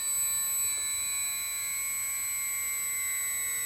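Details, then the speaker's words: LOSI 1/4 Promoto-MX RC motorcycle switched off at the controller with battery connected; steady high-pitched squeal with several shrill tones fading as the ESC brakes the gyro flywheel down quickly, normal behaviour, otherwise it coasts about half an hour. "and this will stop the flywheel way quicker than you're just powering it off and letting it run on quite a high peit squeal I must admit um yeah that's that's really annoying but apparently this is the way if you want the uh flywheel to stop relatively quickly this is how you have to power it off"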